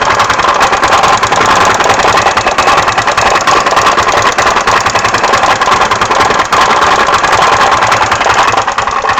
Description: MD 150T-6 scooter sounds like a clatter or knock inside the engine. There is no lack of performance, just the clatter noise.